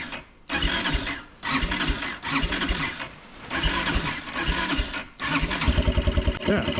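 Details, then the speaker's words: Kawasaki Brute Force 300 ATV (Kymco engine), 180 psi compression, black plug, backfiring: repeated cranking with ragged firing, won't start on or off choke, finally catches by working the button, uneven beat; owner suspects tight intake valve. "when you go to start it if you try to start it with the choke it'll never start if you turn the choke off it'll never start but if you press the button and do this"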